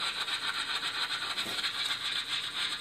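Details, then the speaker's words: Rapid crackling hiss with fast busy pulses several times a second, like a beehive: normal radio data bursts from 24 Hydro-Québec smart meters in an apartment-building basement. "Alors, ça bourdonne. Ça bourdonne l'activité. C'est une vraie petite ruche."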